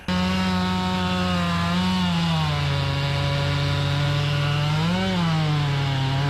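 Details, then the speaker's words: Chainsaw with 28-inch full-comp bar, chain filed aggressively, cutting hard white oak: steady high buzz dips slightly as the bar bites and recovers at once, pulling strongly; normal under load, minutes before a crank bearing cage failure. "i mean this is white oak it's a hard tree it's got 28 inch full comp bar on it i mean i've got it filed aggressively and man puddin's eating good and i'm like man this is great until a few minutes later"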